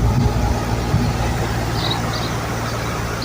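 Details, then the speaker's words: HVAC compressor after repair of loose control wires (one wire apparently cut by a weed whacker): steady low hum and rumble, no knocking, rattle or squeal; compressor running good. "Yep, she's running good."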